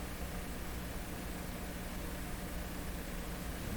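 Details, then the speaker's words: Canadian Westinghouse Model 684 radio tuned to the 15 MHz shortwave band, with alignment issues found. Only a steady, even hiss, no station, plus some clicking. No reception; the local oscillator is suspected on this band. "Don't hear a thing."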